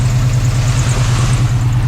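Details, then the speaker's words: 1980s Chevy C10 truck revived after 20+ years sitting, gauges dead, idling as the upper radiator hose warms: steady, even low rumble with no knocks, ticks or stumbles; normal warm-up idle, and oil pressure is assumed since it hasn't locked up. "Going to let it idle. We're starting to get some temperature in this upper hose."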